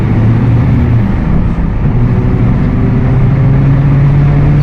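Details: Apache Vip IV bus, Mercedes-Benz OF 1721 BlueTec 5, rear axle fault: low droning hum over the engine rising in pitch with speed; rear differential whine.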